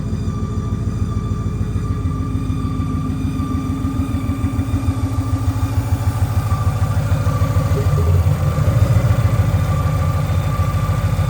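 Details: Boosted Ford Mustang Boss 302 V8 (previously full bolt-on naturally aspirated) idling with a lumpy low beat and a steady high whistle/whine over the top; source unknown, all accessories are good.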